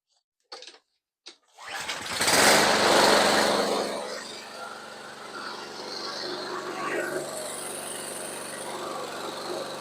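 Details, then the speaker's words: Toro Recycler 22-inch rear-wheel-drive mower with a Briggs & Stratton engine, after a carburetor cleaning and fresh non-ethanol gas. A pull, then it catches with a loud surge and settles into an uneven, wavering run. The spark plug was not seated properly, causing poor running. "The spark plug wasn't in very well. Definitely running poorly."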